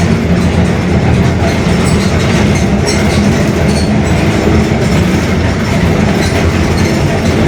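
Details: Bus Mascarello GranVia Midi 2014 body, Mercedes-Benz OF-1721 Bluetec 5 chassis, built 2021, urban service: constant heavy low drone and rumble under way, steady growl under road noise: growling rear differential.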